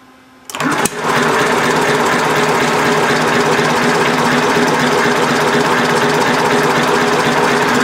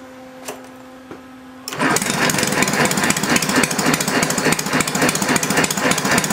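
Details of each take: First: Homemade inline four-cylinder engine built from Briggs & Stratton engines, temporary throttle, no throttle return spring: loud, rough, ragged clatter at about three and a half beats a second that never settles; mixture suspected to need setting. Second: Homemade inline 4-cylinder Briggs engine on its first run: after a quiet hum it catches and chugs at a steady, even three to four beats per second, running smoothly.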